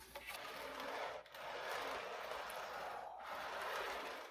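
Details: O-gauge MTH Premier Blue Goose observation car after a drop of lubricant on each axle: a smooth, even whir with the earlier nails-on-chalkboard wheel squeal gone, the axles running quietly and freely.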